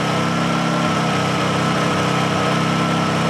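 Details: Honda generator after a choke cold start: steady, even putter with no misses or knocks; normal idle.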